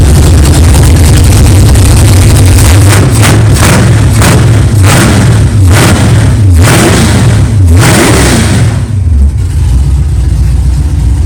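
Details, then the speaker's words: 1964 Chevelle 383 stroker first fire after an 8-month build, good oil pressure: strong, even V8 rumble with crisp throttle blips and no knocking or clatter; healthy fresh engine. "wow thank God it runs it runs good sounds good no problems no clanging and banging no rods fell out of the oil pan that's good good oil pressure"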